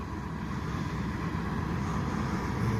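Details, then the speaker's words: 1997 Chevy Tahoe 5.7 Vortec V8 after fuel pump replacement, cold idle at -10 degrees: low, steady, even burble with no misses, ticks or knocks. It revs up well, and the earlier bogging and starting trouble are gone. "it revs up real nice I'll let it warm up here for a little while because it's all negative 10 degrees"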